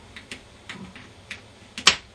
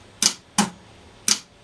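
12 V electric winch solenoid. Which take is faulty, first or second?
second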